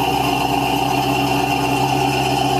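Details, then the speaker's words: 1970 Cadillac Eldorado carbureted V8, properly adjusted carburetor, cold start still on choke: fast, even idle with a steady drone, no misfires or knocks; idle will drop once warm, normal cold fast idle. "But for a properly adjusted and tuned carburetor, that's your typical cold start. Nothing fancy, nothing exciting. Starts right up, and away you can go."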